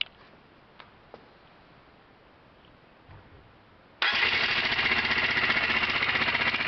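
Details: Honda CBR 125 single: after a few quiet seconds it starts, and a sharp, fast, even metallic clacking of about four per second rides over it; the owner suspects the connecting rod or a valve, unconfirmed.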